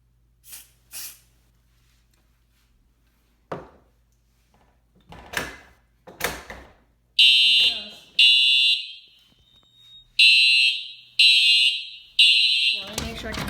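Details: Home fire alarm system test of the smoke detector in the parents' bedroom: a few handling knocks, then loud high-pitched alarm blasts about once a second, each roughly a second long. The fire alarm sounds normally.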